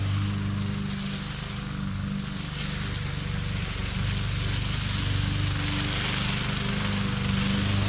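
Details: MTD 20-inch mower with Briggs and Stratton engine, previously hydrolocked with oil, test run after repair: steady, even drone at constant speed with no misses, surging or knocks; running healthy.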